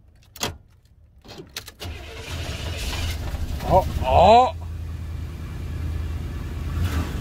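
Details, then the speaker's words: 1992 Cadillac Fleetwood Brougham d'Elegance with a 350 V8; brief whirring crank, then catches and settles into a steady, even idle with no misses or knocks; normal start and idle. "yeah that thing started up baby"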